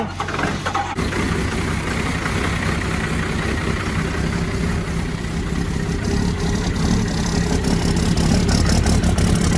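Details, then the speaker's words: Old 12-valve diesel in a diesel-swapped truck in freezing Michigan winter: a long, low, uneven churning crank without catching. It later fired up. Hard starting in cold weather. "i know it's not that impressive because it's not starting but you gotta remember man up here in michigan it is freezing so it's hard to start these diesels in the winter especially an old 12-valve"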